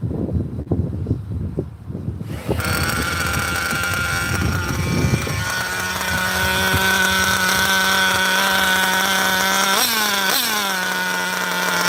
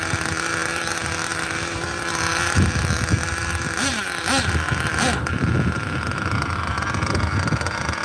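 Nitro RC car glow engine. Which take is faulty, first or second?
second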